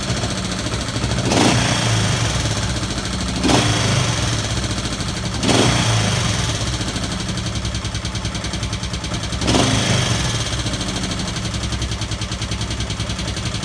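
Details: 1971 Honda CB/CL350 twin idling unevenly with a light engine ticking, blipped in quick revs every few seconds; owner suspects throttle sticking, ticking cause undiagnosed.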